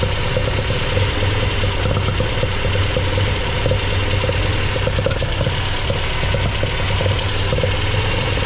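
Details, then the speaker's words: MGB with freshly rebuilt Weber 45DCOE carburettor (new jets, float height set), idling cold before reaching temperature: steady low beat with slightly lumpy, uneven pulse; owner suspects one choke is doing more work than the other and the mixture slightly rich, unconfirmed. "The engine is still cool, so it isn't up to temperature yet. But anyway, I'll see what you think about it. It sounds like one choke's doing more work than the other."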